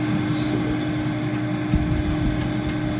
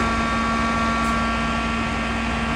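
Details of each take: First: New Mosquito Magnet trap bought a week ago, running outdoors at 19 degrees. Steady, unbroken mid-pitched hum with no rattle or wobble: the fan is operating normally. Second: Mosquito Magnet propane trap, about 2003 (Defender or Patriot), that would not fire up; plugged in and powered with the propane slowly opened to test the igniter. Steady whirring fan hum with no solenoid click or burner ignition: the burner is not lighting.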